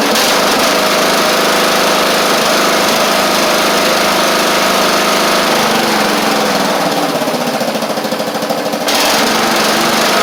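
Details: Traded-in Craftsman Wizard rider mower, small single-cylinder engine running at a steady, even fast beat with no misses or knocks; engine and drive seem fine, and the work needed is on the deck (thin, stretched deck belt, possibly rusty pulleys).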